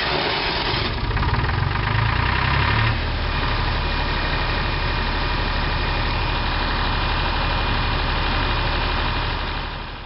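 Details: Hunting HiVolt 12 kW three-phase diesel generator: steady, even drone at constant speed with no knocks or misses, settling into a smooth run.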